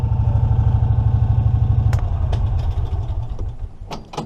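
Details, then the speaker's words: 2006 EZ-GO ST 4x4 with a 614cc Honda GX610 V-twin and under 600 hours, engine winding down: loose clattering at low revs as the CVT clutch weights fall back to rest once rpm drops below about 1500. This is normal. "that's the weights in the CVT. If you guys know anything about CVTs, when they slow down slower than what the RPM is on the engine, they kind of fall back in the resting position of what they are."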